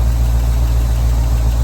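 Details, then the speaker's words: Forest Service Chevy K30 one-ton truck at idle, with a light quick tick over a steady idle that has been getting progressively worse. A loose rocker under the driver's-side valve cover is suspected, not confirmed; it points to a valve train tick. "let's see if we can hear that tick oh yeah it's there i think it might be a loose rocker under the valve cover here"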